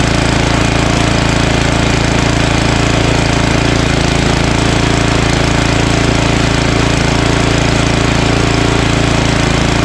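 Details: Ariens ST1128 28" dual-stage snowblower, 11HP Tecumseh Snow King engine, on a cold day after carburetor cleaning and pilot jet fix for surging. Despite an apparently ~5HP carburetor, a loud, steady, evenly paced beat holds speed without surging: normal running.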